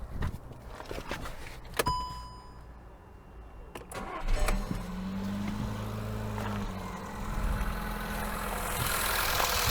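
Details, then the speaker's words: Skoda Yeti 1.2 TSI first full start after timing chain, tensioner shoe and oil pump chain replacement, oil pressure primed: few clicks, catches in about four seconds, light even idle, no heavy knock; runs much easier. "работает гораздо легче но тайна воды я слышу давайте сравним звук до и после"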